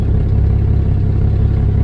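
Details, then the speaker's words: 1988 4-liter vehicle with cracked exhaust manifolds, after an exhaust repair: steady low rumble at idle, even and calm with no popping or raspy bark, much quieter than before the repair. "all right yeah now she's sitting here burning like a kitten much quieter if you watch the first video you can see how loud it was"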